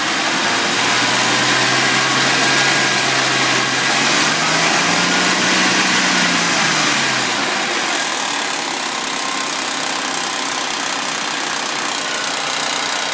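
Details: Suzuki V6 Vitara on a warm start: fast, even metallic chatter at idle that holds through a brief rev and, if anything, gets quieter; owner takes this as confirming worn timing chains and tensioners.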